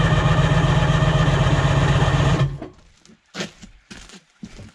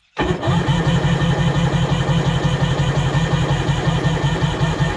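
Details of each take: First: Sea-Doo HX jet ski with shaved head, compression tester on second cylinder: steady starter drone about four beats a second for two seconds; cranks better now, owner suspects rusty bottom end freeing up; reads 120 psi. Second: Sea-Doo HX jet ski with a shaved head for extra compression (120 psi measured): labored cranking under three beats a second for about five seconds without firing. The owner suspects a low battery or the higher compression. Slow cranking.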